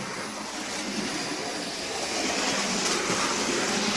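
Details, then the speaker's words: Bachmann OO gauge Midland 1P 0-4-4 tank engine running backwards after running in: light even rattle about four clicks a second over rail joints, no high-pitched squeak or quacking; normal running. "Now I don't really hear the quack-quack noise either. So weirdly enough, I don't hear those noises. That's just the normal rattle of it going over the tracks, I think."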